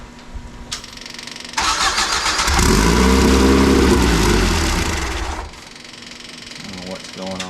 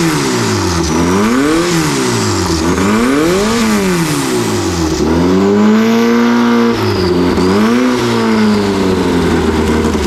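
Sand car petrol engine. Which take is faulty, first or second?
first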